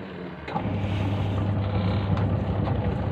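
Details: Akari Turbo Spin washing machine after repair, new wiring and capacitor connections: after a short start, a smooth low hum with some wind rustle as the spin motor turns both ways; running evenly.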